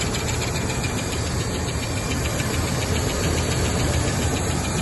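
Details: Rolls-Royce Silver Shadow after its broken ballast resistor wire was bridged: steady, even low idle with constant level and no misses or stumbles; idling smoothly, charging amps up.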